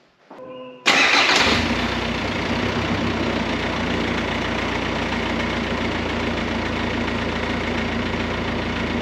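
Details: VW Crafter work van diesel after a DIY repair of its snapped timing belt, with a new timing kit: the starter spins briefly, then the engine fires into a loud, steady idle with no exhaust fitted. It runs evenly and sounds healthy.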